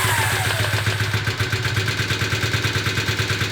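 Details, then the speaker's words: Rebuilt 1981 Honda CB250 Super Dream twin after balancing carbs with a Carb Tune Pro: even, steady idle set at 1000 rpm, both cylinders firing smoothly with no misses or hunting; carbs balanced. "You can see that is perfect. And the idle is set at 1000 RPM. Absolutely spot on."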